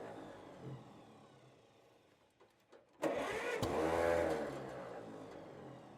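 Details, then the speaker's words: Old Hercules Economy 7hp buzzsaw engine: faint labored cranking, then it suddenly catches and surges unevenly before easing off. Hard starting; acts like flooding but wants more choke. "This is interesting. Acts like it's flooding. Okay, that's not enough choke."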